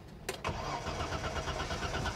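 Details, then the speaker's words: 1986 BMW 325e (E30) at auction, battery reconnected: starter cranks the engine at a steady, even rate but it never fires; the car is completely out of gas, and the engine otherwise sounds good. "out of gas she is out of gas but she cranks oh man I wanted her to start yeah she is completely out of gas"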